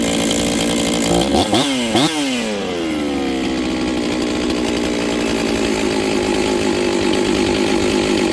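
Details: Husqvarna 266XP chainsaw, first run after top-end rebuild, kill switch not working; few quick blips rising and falling back sluggishly then uneven idle, carb still untuned; lazy bottom-end response from untuned carburetor.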